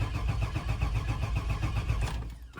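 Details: 2000 Chevy Express van with a crank no-start. The starter cranks evenly for about two seconds without catching, then stops. Code P0336, crank sensor A out of range, keeps resetting.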